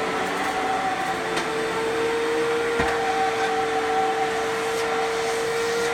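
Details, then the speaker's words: Fantom Fury vacuum cleaner (12 amp/10 amp models) with good motor: smooth, even motor hum, steady tone, no rasp or wobble; normal running. "so that is how a Fanjul Fury should sound if it has a good motor"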